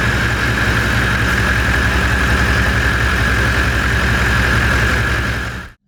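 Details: V8 diesel Toyota LandCruiser after starter motor replacement idles with a steady, smooth low chug and a faint whine on top, then shuts off cleanly; healthy.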